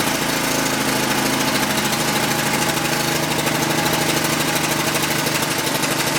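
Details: Ryobi gas pressure washer (single-cylinder), free unit that wasn't starting, after an easy fix: started with switch on, choke and fuel on, garden hose connected; runs at a steady fast buzz without stumble or misfire, healthy.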